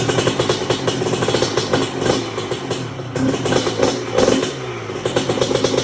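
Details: 1997 Honda CR125 two-stroke after rebuild with new Vertex B piston, honed cast-iron bore, new gaskets, seals, Bills silencer and air filter: crisp crackle rising and falling cleanly with each throttle blip, no knocking or bogging; normal running.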